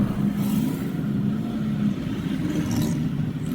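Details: Toyota Hilux after repair of a grinding noise inside the automatic transmission and delayed shifting. While driving, a smooth, steady engine and driveline drone with no grinding or clunk; it now engages immediately. Normal automatic transmission operation.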